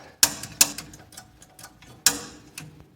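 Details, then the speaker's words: Heat Master gas fireplace with thermocouple and thermopile, pilot that won't stay lit, before cleaning: sharp dry uneven snapping clicks as the spark igniter fires at the pilot; normal pilot igniter clicking. "so I'm going to turn on the pilot right about here you're gonna see a spark see it"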